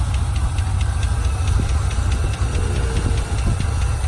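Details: Mid-1990s Ford Ranger 3.0 V6 5-speed from a wrecked truck, tested before salvage: deep, uneven idle with a light ticking about four times a second; broken vacuum lines sucking air, owner suspects the throttle position sensor but thinks the engine sounds healthy.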